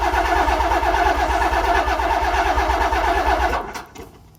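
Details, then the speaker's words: Nissan 300ZX Z32 VG30DETT twin-turbo V6, compression test on cylinder 1 (previously faulty, lifter/valve problem) after repair, cranking without fuel: even steady beat about three pulses a second, no weak stroke; reads 140–145, normal compression. "Et voilà, réparé. Ouais, c'est beau ça. 140, 145. Parfait."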